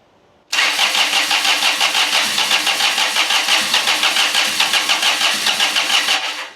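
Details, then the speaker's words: $50 scrapyard John Deere 455 diesel tractor cranking hard at about three pulses a second without firing, smoking, glow plug light on; suspected bad glow plugs since it started before when jumped. "cranking hard them glow plugs might be bad cuz it started before you saw it when I jumped it"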